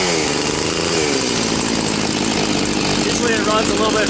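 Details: Very high-hour Echo CS-670 two-stroke chainsaw, reassembled after a dirty ignition coil caused no-start: crisp, busy buzz holding steady with a light chain rasp; fires and runs cleanly.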